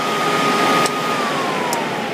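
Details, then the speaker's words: Dell Precision 490 workstation, large front fan after running at full speed and switching off: soft airy whoosh with faint tone slowly dropping as fan coasts down; normal wind-down. "huge front fan I was talking about is right there and you can see it start to wind down right there has huge blades on it as well"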